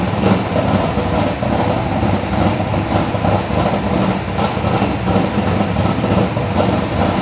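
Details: Chevelle V8 with Edelbrock Pro-Flo 4 EFI, 13.5:1 compression, said to run E85, injection not yet fine-tuned, 3.5-inch collectors into 3-inch exhaust with mufflers: deep, slightly lumpy burble firing evenly without misfires or backfires; normal idle.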